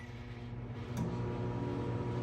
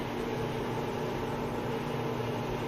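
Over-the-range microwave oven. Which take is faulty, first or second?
first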